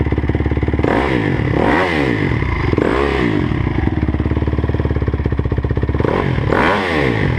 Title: 2009 crf 250r weird noise